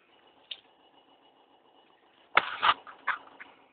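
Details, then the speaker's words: New Beko 100W fridge: faint hum with a single click, then a short cluster of sharp clicks and knocks near the stabilizer. A technician thinks it is damage from shipping; source unclear. "So, I don't know if you can hear the clicking from the stabilizer."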